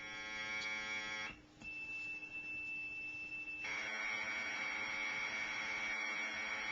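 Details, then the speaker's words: Commodore Datasette program tape, saved from the computer, played back on an ordinary Kenwood cassette deck: shrill steady screeching tones with a short dip, then a dense chirping warble, ordinary Commodore data playback. "I thought somebody would probably want to hear what one of these bad boys sound like played back on a normal player and it's quite quite a lovely little experience when you listen to that music"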